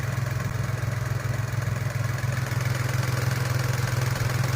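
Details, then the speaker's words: Nissan Almera/March idling after replacing the ignition coil: low even hum with a steady pulse, no stumbling or shaking, the earlier misfire gone. "โอ้ว้าวนิ่งนะครับได้ผลครับเป็นจักอ่าคอยจากหัวเทียนจริงๆด้วยหายครับ"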